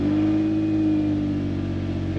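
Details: Engine at 140,000 miles with stored knock and bank 1 timing phaser codes: steady, even idle hum with a constant low tone, no knocking or stumbling heard; engine runs smoothly despite the codes.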